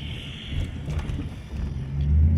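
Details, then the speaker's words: Lifted Mercury Grand Marquis 4.6 V8 driving after installing cheap eBay/Amazon coil packs and clearing misfire codes: deep even rumble rising under load, no stumble or miss; runs normally. "bump just kidding this thing uh it basically just runs like it should you know all these claims of like more power and better fuel efficiency and blah blah blah you know I don't buy any of it"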